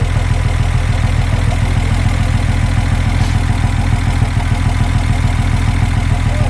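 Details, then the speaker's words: VW Jetta first run in years on a straight pipe, break-in with oil change to follow: loud deep idle with even low pulses; slight valve tick from breaking in new parts, considered normal; healthy idle. "oh man it sounds so good now you got to keep in mind that the valves are going to be a little ticky uh due to the fact that it's it's got to break in everything that's in there but it sounds great you know there is a tick and that's normal"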